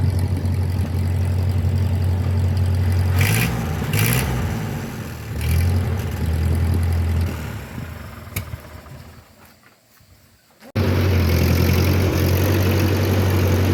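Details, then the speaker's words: 1950 Ford 8N tractor, four-cylinder, 12-volt conversion, after fitting a new carburetor because the old one started and died as if starving for fuel: steady even idle with clean revs, a brief drop-out, then smooth running; now runs well. "as you can hear we got it running really good I'd say this is a success"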